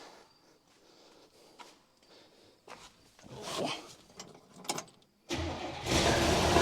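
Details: 1966 Buick Special small V8, sat unrun for years, first start attempt with coil hooked up and a little gas: several seconds of weak uneven cranking, then a ragged catch that stumbles and won't keep running; fuel starvation suspected.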